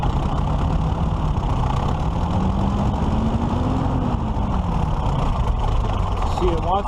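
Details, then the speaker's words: 1941 Case SC tractor engine after bending the governor-to-carburetor rod: idle holds briefly, then engine creeps toward wide-open throttle over about two seconds before falling back; governor not controlling throttle, internal governor fault suspected, governor to be removed. "to pull itself wide open and it shouldn't be doing that it's just fight to go to Idyllwild something something inside the governor's own work so it sounds like we're gonna have to sounds like we're gonna have to pull the governor out and take a look at it"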